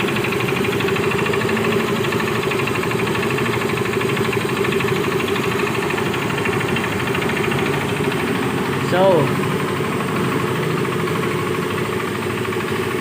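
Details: Mio i 125s scooter before engine overhaul: steady idle with a fast even knock under the engine note; crankshaft knocking.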